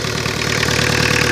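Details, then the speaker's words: 2-litre Mazda RF diesel in a 1985 Ford Escort that sat 3 years on flat tyres, destined for an '86 Tempo: steady, even diesel clatter with constant rhythm and no misses; owner says it runs like a dream; normal idle. "a diesel 2 liter diesel engine listen to how that thing first so this is going in my 86 tempo"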